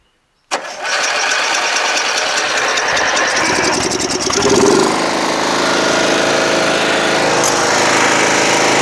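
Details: Toro Wheel Horse 1238XL lawn tractor after carburetor replacement, restarted by jumping the busted solenoid: cranks, fires at once, settles to steady even idle, no misses or knocks; charging battery at 13 volts and rising.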